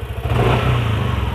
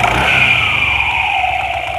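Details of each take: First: Yamaha NMAX scooter with a harsh rattle at the end of throttle, once blamed on a loose CVT pulley fan and slider: with the cam chain tensioner pushed fully in, a throttle blip gives an even drone and clean rise with no rattle; faulty tensioner confirmed as cause. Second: Yamaha NMAX with a rough noise near top throttle, heard on throttle release; CVT slider found loose. Engine revs down with light metallic clatter over drive whine; noise stopped when tensioner pushed in. Cam chain tensioner rattle.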